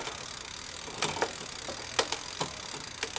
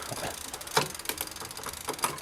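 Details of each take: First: Quiet Cat e-bike rear derailleur after indexing adjustment, a final quarter turn clockwise to loosen tension: light, even ticking with crisp single clicks as the chain steps across cogs, no grinding or rattle; clean, normal shifting. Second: E-bike rear derailleur after a quarter-turn counterclockwise barrel adjustment adding cable tension: sharp clicks and ticks as the chain shifts down the cassette, one lagging with slight hesitation; cable tension too high.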